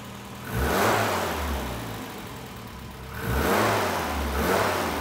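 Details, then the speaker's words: Classic Mini with a freshly built turbocharged A-Series engine on its first start, now warm at operating temperature: two clean revs fall back to a steady idle with no misfire or knock. The microphone makes it sound tappier than in person. Normal running. "all right we have it up to operating temperature and it is running really really nicely"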